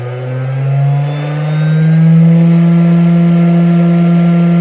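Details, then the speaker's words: Cheap 500W air-cooled CNC spindle with speed regulation running unloaded near top speed, about 10,000–11,000 rpm. Loud steady hum creeping up in pitch; very noisy from excessive vibration. "but it is very noisy with all the vibrations"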